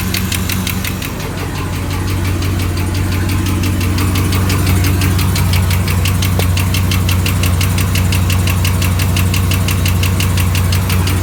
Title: L99 camaro SS lifter tick